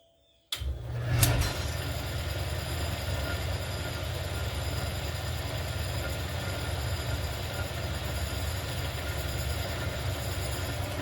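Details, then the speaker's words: 1959 Axeman-Anderson 130M coal stoker boiler with adapted AHS fan, motor and bearing mount, after loosening pillow blocks and sliding the shaft back: brief start-up surge, then steady even hum, no usual light rattle; running normally. "strange it actually sounds perfectly normal"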